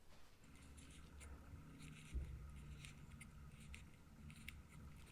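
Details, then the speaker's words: Klarstein brewing system pump, stopped pumping with hot mash debris inside: impeller turned by hand is stiff, with irregular dry scraping, rasping and grinding over a low hum, before cleaning. "it wasn't turning very well it's really stiff and grindy I'll put a video up make sure your volumes up because you can hear you can hear the grinding"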